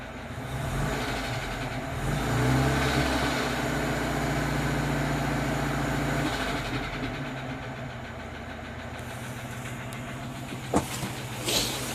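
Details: Moskvich with UZAM 412 engine at idle: steady tapping knock, about 220 per minute, over the engine note; an internal engine knock of unclear origin.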